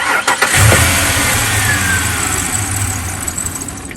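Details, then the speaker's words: Junkyard 1994 Ford Ranger XLT 4x4 that misfires and cuts out once warm, with the check engine light on and gasoline smell in the oil: it cranks quickly, catches and runs unevenly, then sags as if dying again. Cause unknown; owner doubts overheating. "yeah it keeps doing that to me like it gets warm and then it doesn't want to run anymore"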